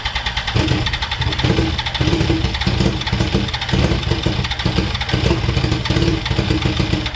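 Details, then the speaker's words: 2004 Yamaha R1 unstarted for over 10 years, on fresh fuel: it catches and runs with an uneven, pulsing idle for several seconds; owner suspects it is still running only on ether, cause unclear. "Fucking hell, the thing runs, mate. Like, it runs. What the hell is going on? I think that was running off the ether still, surely."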